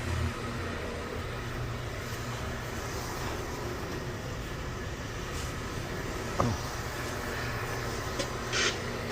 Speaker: Boom the boiler fired again we going to try it again reset and let it fire again